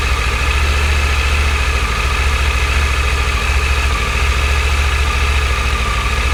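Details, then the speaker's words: Triumph Tiger 900 GT Pro, about 10,000 miles, cold idle after sitting a week: fast, even idle with a light steady whirr from the top end and no slap or rattle; normal cam chain noise. "First, let me tell you, all the bikes have been sitting out here for a week or so, haven't been started, so they're cold. It's going to be a cold idle, so it's going to be pretty fast."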